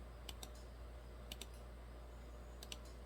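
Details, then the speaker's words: 2008 Dodge Ram 6.7 Cummins with aftermarket lift pump, random stalling, code P1011, starter bumped and relay toggled: sharp relay clicks in pairs about every 1.5 s over a quiet hum, no pump whir; lift pump not running due to blown fuse. "i'm pretty sure that lift pump should run if you bump the starter and i don't hear it"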